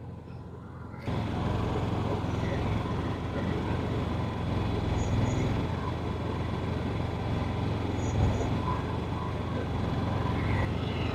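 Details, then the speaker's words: Honda EU7000iS (fuel-injected, 389 cc) and Yamaha EF6300iSE (carbureted) generators, 32 oz of gas each, pulling a 1000 W load at about 40 minutes: low, even engine drone holds steady with no hunting or surging; normal running under load. "32 ounces of gas and you're pulling a thousand Watts like it's nothing just barely idling"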